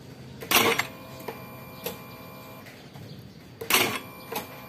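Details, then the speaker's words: Honda Beat FI scooter starter only clicks "tek tek" with brief clatters and no cranking. Battery reads about 12 V; the starter motor is too weak to turn against load. "dia nggak kuat ya temen-temen gak kuat mother terbadai ini Oh ya nggak kuat memutar kalau ada bebannya"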